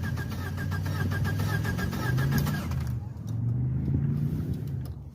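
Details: Ford Probe turbo four-cylinder after a hard pull, wastegate line clamp forgotten: rough, lumpy low idle with uneven chuffing pulses and heavy blow-by; blown head gasket.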